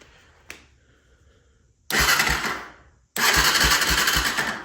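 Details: 1996 Honda FourTrax 300EX ATV, no-start after a new starter solenoid was fitted, battery at 12.2 volts: two bursts of steady cranking, about four turns a second, engine spinning freely; starter now engages and cranks normally.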